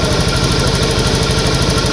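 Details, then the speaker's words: Honda Beat ESP injected scooter, kick-started after new fuel pump, filter and tank O-ring fitted, pressure 42 PSI: quick even single-cylinder idle putter without stumbles; normal idle after repair. "Oke jadi ini e motornya sudah hidup dan untuk pekanan pamnya atau prure g-nya itu di angka 42 ya ya itu klihat 42 PSI"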